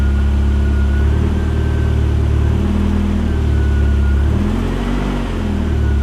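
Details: Chevy S10 pickup with modified exhaust, started for third time after sitting 2 years and new battery: loud deep idle, steady with one small rev rise and settle; runs smoothly.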